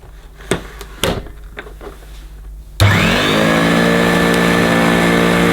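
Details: Electrolux 550 upright vacuum: a few clicks, then the motor spins up to a steady whining drone with a coarse, buzzy edge, sounding rough; rough vibrating, worn motor.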